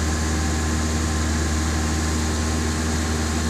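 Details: Zebra Espass, cold engine after sitting three days, started with the choke pulled fully out and the gas pedal pressed: steady, even low drone at raised speed with no misses or knocks. Normal choke fast idle during warm-up.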